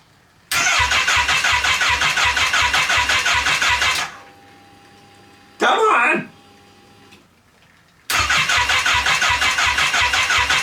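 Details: Wrecked Kawasaki Ninja H2 engine, fresh oil and filter, no coolant, one header cut: starter cranks in a fast even pulse for a few seconds, twice, with no catch; crank no start, wiring and diagnostic-code issues later investigated.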